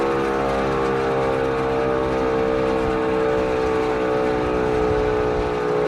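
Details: Auer LS10 siren on test, rotor running down for over six minutes despite a bearing fault: long steady tone slowly sagging in pitch during coast-down with a rough undertone; rotor bearing damage.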